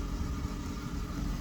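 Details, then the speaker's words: Ford petrol engine with a high idle that keeps rising and falling, mostly around 1200–1500 rpm instead of about 800. Slightly uneven fast idle from a vacuum leak, false air drawn through a cracked crankcase ventilation (PCV) hose. "also die leerlaufdrehzahl die steigt und fällt die ganze zeit aber meistens ist die viel zu hoch"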